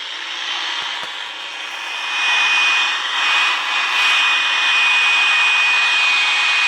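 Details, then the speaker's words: Hallicrafters S-210 receiver after restoration: a thin steady high squeal over radio static, interference from an HP DV1000 laptop nearby that was supposedly switched off. "Can you hear that squealing? I'll turn the computer upside down on my lap here."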